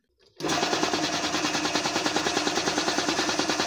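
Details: Garage air compressor after repair, refilled with one litre of engine oil and spring oiled: even rapid pumping beat of about three strokes a second, no knock or grinding; the earlier loud noise from lack of oil is gone.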